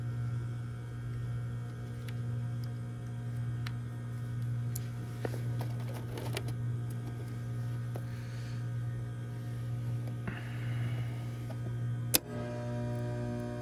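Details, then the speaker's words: Trane package heat pump on a no-heat call at about 30 degrees: 240 V reaches the blower yet there is only a steady low electrical hum with no fan whoosh; blower and condenser fan motors not running, a bad fan motor suspected over a capacitor. "Getting 240 to our blower, but now it sounds like our condenser fan motor's not running either."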